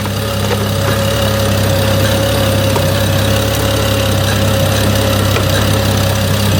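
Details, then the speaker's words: 2011 BMW E90 335i idling after coolant reservoir replacement and cooling-system bleed, with a hose drip found: steady idle with an uneven, lumpy pulse and faint irregular tick; runs rough, cause unknown. "And only God knows when my car sounds like it's dying right now. Ah, these BMWs."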